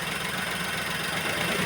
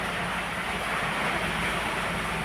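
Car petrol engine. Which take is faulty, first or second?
first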